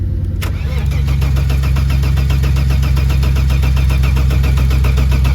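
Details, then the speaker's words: Saab 900 V6 after sitting in a paddock: strong, even cranking at about three turns a second that never fires; cranks but won't start, fuel pressure to be rechecked, cause unconfirmed. "Come on. Get nothing. Alright. Let's just double check that fuel pressure and we'll go from there."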